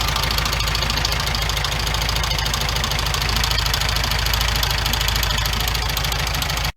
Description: 1974 Beetle running with loud knock. Engine was replaced.